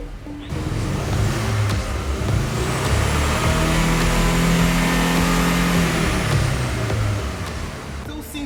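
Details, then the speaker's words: 2005 VW Golf GTI Mk5 with stage 2 built engine and upgraded turbo, alternator light on for months: the engine shakes and revs climb far too slowly. It now revs higher but reached no more than 3,000 rpm the day before. Misfire, cause unconfirmed. "like it's shaking a little bit and it's slow to accelerate the Rev is going up way too slow"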